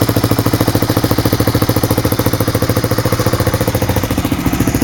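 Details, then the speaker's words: 1985 Honda 250SX ATC trike, about 30 years old, with electric start; steady, even idle thump at about three and a half beats a second with a light clatter on top, judged normal for its age with nothing wrong. "being a 30-year-old bike, I mean, it's going to have a a noise here and there, but I honestly don't think there's anything wrong with it."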